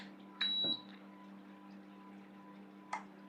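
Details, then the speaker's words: Voltas inverter AC PCB showing PC 00 error, compressor connected to board U-V-W, switched on by remote: short beep, one dull thump as compressor tries to kick, then only faint hum; compressor fails to start, drive board fault. "वैसे तो हां आपने देखा इसने थोड़ा सा कंप्रेसर पर झटके दिया और फिर उसके बाद बंद हो गया कंप्रेसर स्टार्ट करने की कोशिश की स्टार्ट नहीं हुआ"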